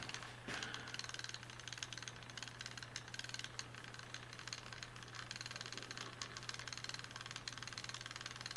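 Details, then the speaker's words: Mechanical hour meter reading 56,000 hours, powered at 24 V: rapid light clicking about five a second over a low hum, erratic and counting far too fast; failed meter. "hear the clicking noise there, yeah? So it's all over the place, yeah. So that's an interesting failure."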